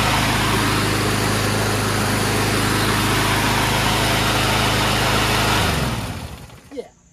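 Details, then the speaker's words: Powersmart lawnmower with Loncin engine: starts fine and buzzes at a steady, fast, even beat for several seconds, then winds down and stops cleanly. Normal running. "if you took this from one to six you're running but it seems to start up just fine"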